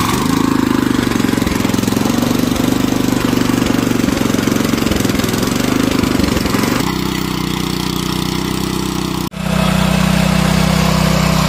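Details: Power tiller single-cylinder engine after carburetor cleaning, started on choke: steady even chugging beat, one brief drop near nine seconds then smooth again; runs normally.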